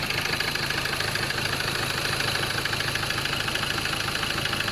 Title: Ford ranger 2.2 xlt 2011-2014.. M/T engine knocking